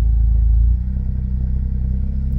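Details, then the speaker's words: Smart car on its first road test after a full engine rebuild, cold January afternoon, driving with an even low drone and road rumble. No knocks or rattles: normal running. "the moment she's sounding good"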